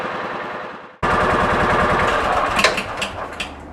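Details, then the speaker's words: 2000 John Deere 4X2 Gator, first crank after ignition coil replacement: short cranking, then the engine catches cleanly at about one second and settles into a steady, even run. Normal cranking and start, not yet warmed up. "well that's a good sign for today that's the first time it's recranked it had not run very long to warm up"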